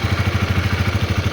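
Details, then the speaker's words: Honda CB150R motorcycle after repairing a jammed starter motor, started on a weak used battery: steady even putt-putt idle, about twelve beats a second, no misses or clatter; starter fixed, engine healthy. "tidak ngengkol lagi, Bosku. Jadi untuk motor saya sudah bisa diarter tanpa harus beli peralatannya ya."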